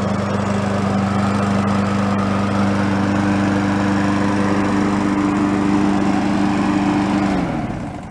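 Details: Free yard-sale Craftsman mower, about ten minutes after refilling oil to just above the high mark: steady, even drone at constant speed without surging or misfire, then a clean shutdown. It is burning off oil on the muffler. Normal running.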